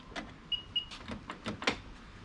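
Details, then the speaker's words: L405 Range Rover front passenger door after new striker plate fitted: short whirring motor bursts with clicks, no firm latch catch; soft-close actuator runs but door not latching, soft-close mechanism suspected. "could be the soft closed mechanism has caused that to jam as well as something wrong with the soft close mechanism"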